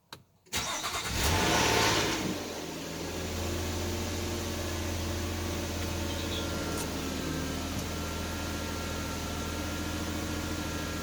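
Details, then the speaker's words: 2010 Nissan Maxima 3.5 V6, previously misfiring with a cylinder 5 code, started after ignition coil replacement with codes cleared: quick crank, instant catch, brief flare, then steady even idle; no misfire or smoke, fixed. "so far running pretty smooth seems to be running all right that one down let's go check out the exhaust running pretty smooth no misfires no putting no smoke so she's fixed"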